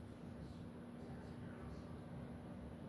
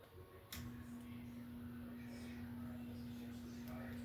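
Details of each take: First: 52" Home Decorators Tahiti Breeze ceiling fan on high speed, mounted on a truss system: a steady low hum sits under quiet airflow, even with no ticking. The motor hums noticeably every time it goes to high in either direction. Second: Startup of a 52" Home Decorators Tahiti Breeze ceiling fan, filmed up close: a soft, steady mid-pitched motor tone holds level as the blades gather speed. Quiet, even, normal motor running, though the owner notes a slight hum and a little wobble on medium and high.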